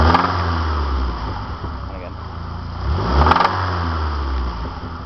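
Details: Saab 9-5 with the B235R turbo petrol engine, revved. A rough knocking beat is mixed into the drone, knocking heavily above 1500 RPM.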